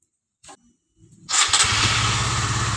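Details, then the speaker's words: Honda CB150 old after full engine rebuild from seized piston, reassembled with head cover and radiator fitted, first test start: quick crank, catches at once, settles to even crisp idle without knocking or rattling; healthy. "Sudah dirakit semua, untuk semua komponen mesinnya sudah dipasang semua, sudah dites."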